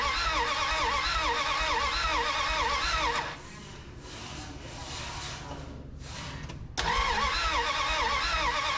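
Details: 1981 Dodge D150 cranking, no start: steady rapid cranking around three turns a second with uneven sputters, a gap, then cranking again. Spark present, little gas in tank and a leaking fill hose; owner suspects no fuel and choke trouble.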